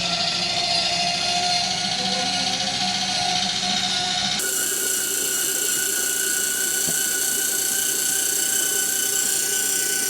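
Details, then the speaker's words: 2025 Forest River Salem 32BHDS camper, electric stabilizer jacks extending in tandem: a steady motor whine shifts tone as the jacks touch the ground, then stops. This is normal; the jacks stabilize only and are not weight-bearing. "Now, you hear the motor changes there when it touches the ground. These are not weight-bearing jacks."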